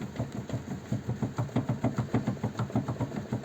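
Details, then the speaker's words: VW Passat B5 worn outer CV joint, removed from the hub and rocked by hand: quick repeated metallic clunks about three a second. The car crunched when the steering was turned right, and the joint was replaced with a new SKF CV joint and boot. "так показую як стучить шрус"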